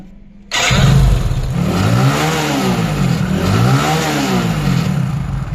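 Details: Hero Splendor after oil supply line unblocked (excess sealant on clutch packing had choked it, tappets kept loosening) and 900 ml fresh engine oil; engine catches and settles into steady even beat, smooth revs, no knock; healthy.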